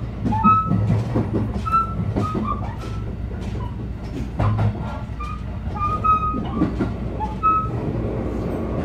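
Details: JR Biwako Line 223 series 2000 Special Rapid between Yamashina and Kyoto, onboard: rolling train with squealing wheels and a repeating thump keeping time with wheel turns, the pounding of a wheel flat.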